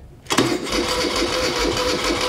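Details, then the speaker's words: 1975 Moto Guzzi 850T unused over 10 years, uncleaned carburetors, new starter switch, weak battery: abrupt fast raspy chuffing that never catches to a steady run; tries to fire but won't start, carbs to be cleaned. "you guys did hear it make some noise it made a little noise"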